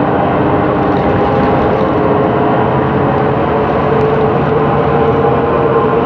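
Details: 2013 MAN Lion's City CNG bus, MAN E2876LUH03 EEV turbo engine, ZF Ecolife 6AP1400B 6-speed automatic, heard while driving: steady drive drone with a faint mid-pitched whine riding along; faulty, noisy differential.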